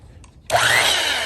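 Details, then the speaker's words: Restored vintage (about 75-year-old) Skilsaw Model 87 circular saw, run after refilling with new oil: motor snaps on and whines up quickly to a strong, steady high pitch, no grinding or rattle; healthy, powerful motor. "Boy, this thing's got a lot of power. All right, that gets that oil worked up in there."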